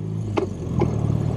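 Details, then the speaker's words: 1971 BMW R75/5 shaft-drive twin, nearly 35,000 miles, riding at low speed: two short solid clunks half a second apart from the gearbox; normal positive shifting. "nice transmission very uh positive shifting you can hear the clunk"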